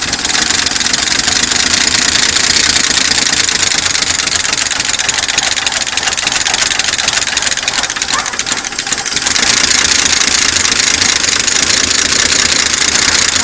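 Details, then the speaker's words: 1972 Chevy pickup V8, first start after sitting many years in a pasture, primed with gas: rough running with busy rapid ticking over hissy background; lifters suspected to be dry and tapping. "yeah she's pretty readily know there's a lot of noise there that I don't recognize well it's the tap it's dead it's the it's the lifters all right go ahead"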